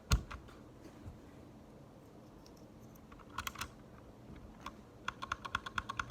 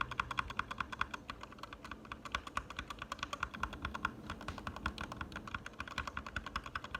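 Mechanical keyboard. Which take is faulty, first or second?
first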